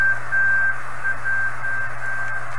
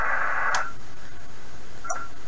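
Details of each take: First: 1980s Kenwood TS-430S after Kenwood's relay-contact procedure, antenna reconnected, stepping the 1 MHz switch mid-afternoon: steady carrier tones over even hiss with a sliding tone and digital chatter, volume changes from antenna signal level; normal reception. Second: 1980s Kenwood TS-430S transceiver bought at a flea market, before relay repair, tuning up past 4 MHz through the bands: receiver hiss swells and fades, then cuts out with a click as the band relay switches, going quiet; dirty band relay contacts.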